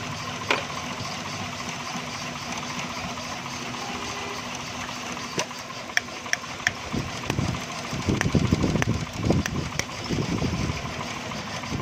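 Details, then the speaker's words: XLI 1.3 on CNG, engine cover off, vibrating heavily, no pickup uphill on gas: uneven, lumpy idle with irregular stumbles and sharp clicks; missing on cylinders 1 and 2 from oil-fouled plugs and plug wires and a cracked coil. "दोस्तों, इसका 1 नंबर और 2 number plug wire में मसला है, प्लग में मसला है। इसमें सारा ऑयल आ गया है।"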